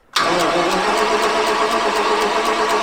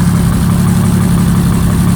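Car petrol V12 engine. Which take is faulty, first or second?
first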